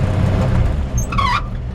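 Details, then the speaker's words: 1955 Ford F100 with original engine and three-speed column shift, driving: over low rumble a short rising squeak chirps once from the dry clutch pedal; WD-40 usually stops it. "that little squeak is just the clutch the clutch pedal and you can usually spray a little wd-40 on it won't squeak like that"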